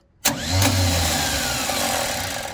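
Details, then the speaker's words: 1973 Chevy Nova: starter spins up with a free, rising whir and no cranking beat. The wrong starter is fitted, and its pinion misses the flywheel entirely. The old starter is to be refitted. "Yep. Wrong starter. It's missing by like a mile and a half."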